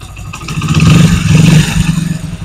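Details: Motorcycle, after gearbox noise repair, in gear with light brake load applied: deep even drone with no gear whine or clatter; gearbox noise gone, sounds healthy.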